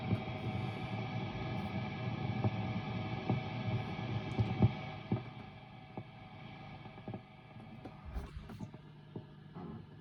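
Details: Mesa Boogie Dual Rectifier Multi-Watt amp: intermittent bacon-frying crackle and pops over low hum at idle on gain channels (raw, vintage, modern), not on clean channel 1; also pops switching channels; tubes unchanged, owner suspects failing resistor.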